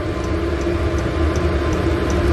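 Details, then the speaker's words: 8 kW 12 V diesel air heater installed in a Bayliner 2455 Ciera boat, running: steady low combustion roar with light, even fuel-pump tick about every 0.37 s; normal running. "okay so you can hear that running a little ticking sound is the pump it's got a little piston inside that goes up and down"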